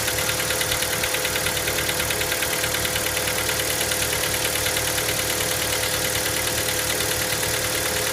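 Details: Hyundai Elantra MD 1.6 cold start: sharp, even ticking about three times a second over steady cold idle; knock of unknown cause.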